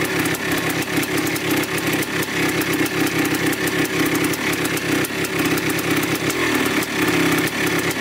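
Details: 1987 Yamaha YZ 490 two-stroke after carburettor rework for bogging, warming up: crisp, even ring-ding at a steady idle with light blips, no misfire or hunting. The air mixture screw sits at 2¼ turns out, in spec, so the pilot circuit sounds right.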